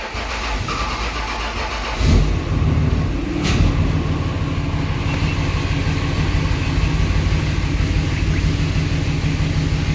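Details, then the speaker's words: Diesel hotshot truck, first start after a built valvetrain and head stud install: short crank, catches in about two seconds and settles to a steady idle; the check engine light is only from the unplugged injector harness. "Give her a second. Check engine light. Might take a second to smooth out."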